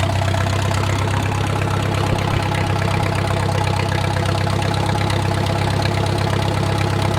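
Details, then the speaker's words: Wartime H tractor revived after 20+ years of sitting: slowed idle warming to full operating temperature, a steady even low-pitched beat with no knocking or tapping, and a typical oil leak is burning off. "all right so we slowed down the idle a little bit we're just going to let it build up some heat and see what it does"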